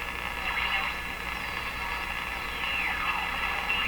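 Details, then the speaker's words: Electrohome PK-104 five-tube clock radio on first power-up before recapping; high heterodyne whistle over station hiss, dropping to zero as the dial tunes in; owner believes bad quieting capacitors cause the tuning squeal. "can hear that there's a heterodyne as i tune in there's a heterodyne pitch it's fairly high now it goes down to zero as i get it tuned in"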